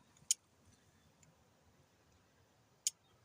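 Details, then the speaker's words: 2009 5.7L Hemi fuel injector, truck sat five years, tested with activation tool after rebuild: two sharp isolated clicks about 2.5 seconds apart; injector firing normally. "There she's clicking. You hear it clicking."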